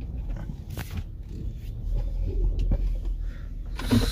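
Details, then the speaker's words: 2007 Lincoln Navigator front suspension squeak, louder with windows up, both sides: short creaky squeaks and rubbing groans over low rumble as SUV rolls slowly up driveway; owner suspects shock or spring rubbing, unconfirmed. "I have no idea but it sounds like maybe the shark or the spring something like that like every time he moves like like he causes like a rubbing rubbing or squeak sound"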